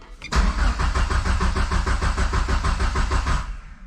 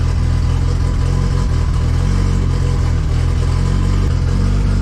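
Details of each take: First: Mitsubishi 2G GSX on FuelTech ECU, wasted spark: starter spins engine evenly about three turns a second, never catches; cranks no-start, no crank signal seen, only cam; suspected crank angle sensor connector wires not seated fully. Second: Mitsubishi 2G GSX on FuelTech ECU, after fixing no-RPM/crank signal at CAS connector and raising target idle: strong, steady engine note through a rev, no knock or misfire, clean shutdown; car now runs, fuel pressure slightly low, minor leak remaining.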